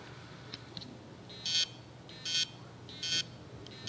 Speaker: so normally what this would mean is is that I've got a head stuck to the platter where I got a spindle that doesn't turn so the head's not be able cannot read anything so they'll make noises like this